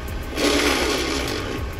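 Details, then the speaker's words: FJ Cruiser manual transmission, reinstalled, forward gears fine: harsh rasping grind over the engine rumble as the clutch is slowly let out in reverse; transmission to be pulled for rebuild or used replacement. "hear that grinding noise i got the reverse so i'm gonna pull it out again either rebuild it or get a new one"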